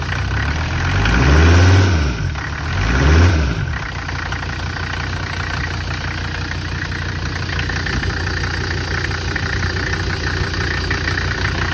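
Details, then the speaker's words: 1985 Mercedes 300D diesel, just jump-started and leaking fuel, with steady idle clatter and a couple of deep early surges; sounds laboured, and it drove with almost zero power. "But um it drove it has absolutely zero power. About um one hamster or half a hamster power probably."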